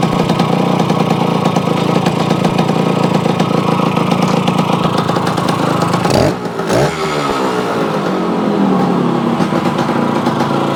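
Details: Yamaha AT-1 converted to CT-1 two-stroke, first start after rebuild with wiring done, oil pump primed, carburetor problems fixed, choke on, pre-mix plus oil pump: steady crackling idle, one quick rev up and down without stumbling; normal running and revving.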